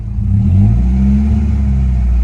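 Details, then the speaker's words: 1991 Nissan 240SX petrol engine, warmed up after fuel work, with an idle misfire and rough, shaking idle; when revved, the note turns ragged and breaks up from around 2000 rpm. "but it starts to break up at 2000ish"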